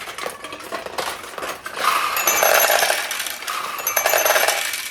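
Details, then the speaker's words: Restored Nishijin Single Shot Conversion vintage pachinko machine, likely late 1960s or early 1970s: balls clatter into the tray with bright chimes in two bursts, one win opening the tulip then a second ball entering it; normal double payout. "So we got two payouts that time. The one ball went in here, and internally it came over and opened up the tulip, and then the next win went down into the tulip. So that's why I paid out 2 times."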